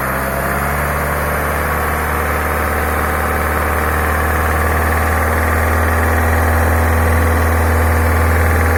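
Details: Peugeot 308 with EP6 engine, 82,000 km, oil level normal, no engine fault codes: fast, regular knocking over a steady engine drone at 2500–3000 rpm, strengthening slightly as revs climb. Cause of the knock unknown.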